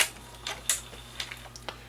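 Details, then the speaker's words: Sony MiniDisc recorder with a disc-reading fault: after erasing, on eject the head lowers to erase the table of contents, then rises and ejects the disc. Crisp light ticks, about six over two seconds, a normal loading sequence. "it lowers the head down and it actually erases the table of contents then it raises the head up and ejects the disc"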